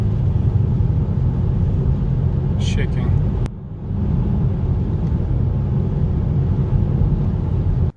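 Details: 2010–2015 Mercedes GLK350, 3.5 V6 M272 engine, about 180,000 miles on original spark plugs: a low idle rumble with a faint uneven shake, a rough idle and possible misfire. The owner suspects worn spark plugs.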